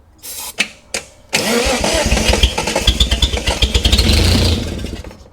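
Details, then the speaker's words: 1971 Datsun 240Z restoration, first start attempts after timing adjustment: a few short cranking bursts, then it catches and runs roughly about four seconds before sagging away; fires but fails to keep running, fuel not reaching the carburettor float bowls. "That's running. I mean, yeah, I need to get fuel to the bowls, but uh did start."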